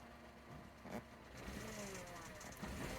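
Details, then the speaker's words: Three-cylinder car at idle: light metallic chatter rides over an uneven three-cylinder idle, faint but persistent. It is a rattling, stretched timing chain, not normal three-cylinder noise. "But yeah, the issue with it is it actually sounds timing chainy."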